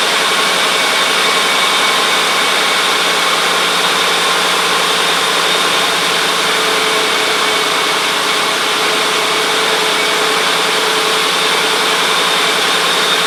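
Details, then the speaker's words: 2003 Mercury Grand Marquis 4.6 V8 automatic, first start cold after radiator electric cooling fan assembly replacement and coolant refill: steady even idle under fan rush, no knocks or rattles, normal. "well it starts up nothing apparently is popping out so this thing's got to get warmed up a bit and then we'll test it out"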